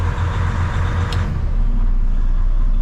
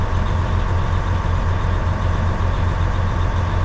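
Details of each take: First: 2012 Western Star log truck diesel at idle with enough air pressure: cruise turned off to release the cruise-locked fan; fan roar changes and settles after about a second as the fan shuts off, normal fan clutch disengagement. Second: 2012 Western Star log truck diesel idling while building air toward about 100 psi: constant low fan roar that never drops off; the fan should have shut off by now, fan clutch stuck engaged.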